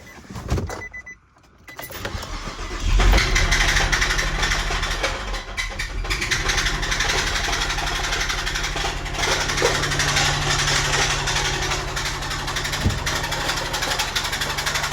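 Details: Infiniti G35 petrol V6 recovered from the woods, with a dead battery, cranks, starts and idles with a steady heavy knock; it drives but cuts off; the owner thinks it needs a new engine.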